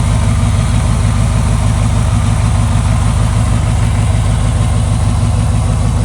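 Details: 1995 Buick Roadmaster Estate Wagon V8, just revived after sitting several years. Deep, steady burble with a loud, even low pulse and no knocks or stumbles; it idles smoothly. Coolant leaks from the unclamped upper hose.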